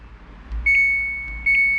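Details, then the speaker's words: Samsung washing machine: pressing start gives only a steady high beep, then no motor, pump or valve action while other buttons work; board fault suspected, not confirmed. "ก็จะมีแค่เสียอย่างนี้นะครับแต่ปุ่มอื่นกดได้นะครับฮะอ่ะกดstartไม่ได้ปุ่มอื่นกดได้หมดนะครับ"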